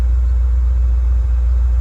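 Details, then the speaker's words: 1988–1993 Ford Mustang V8, warm, testing a rebuilt A3M1 mass airflow computer in closed loop: deep steady even idle rumble with no stumbles or skipped beats; no codes, revs fine, holds idle. Normal idle, no misfire. "I think we have a good computer. No codes. Seems to rev up just fine. Holds idle."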